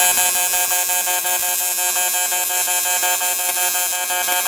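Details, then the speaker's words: Welding something round for a barrel project: steady rapid high-pitched buzz pulsing evenly around three times a second with no rough edges; welder running normally in pulse mode. "like I say nothing fancy we're just going to it the buzzing that you hear that's uh that's welding in pulse mode"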